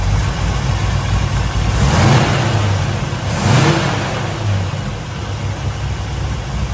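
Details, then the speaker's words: Freshly rebuilt 454 V8 in a 1970 Chevelle, four-speed, warmed up after first start and timing: two clean quick throttle blips over deep even burble, no tapping; lifters sound decent, revving normally. "i think the lifters they sound pretty pretty decent i don't think we need to go back and edge sound really good so that's good"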